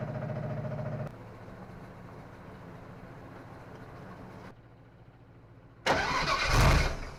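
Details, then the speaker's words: 1955 Willys wagon with a small-block Chevy 350 from a '46 Chevy, first start attempt since removal, fed from a portable fuel tank: steady cranking that never catches; owner suspects the fuel pump as no fuel is reaching the engine. "kind of thinking it might be the fuel pump. I don't know. Um, but she's not getting gas."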